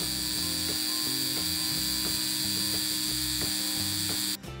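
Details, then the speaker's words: Rivarossi Santa Fe U25C model locomotive motor, previously seized by severe corrosion, after repair, before reassembly: high, steady whirring whine, spinning freely and evenly with no catching; normal motor run. "well the motor seems to be running so i guess we can start reassembling everything"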